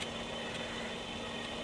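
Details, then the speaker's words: Late-1960s BSR UA15SS record changer motor after strip-down and cleaning, during the power test cycling through 16, 33, 45 and 78 RPM: a quiet, steady hum with a few light ticks; normal running. "so that should be the motor on what's nice is I can't hear it running 16 RPM let's go 33 45. and 78."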